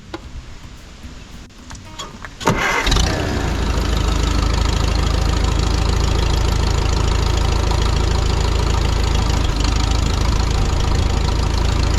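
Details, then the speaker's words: 1952 Farmall Super C tractor cold start the next day with no choke: brief cranking, catches at once, settles straight into a steady, even idle, sounding much better than before; normal cold start. "man that sounds so much better than it did before"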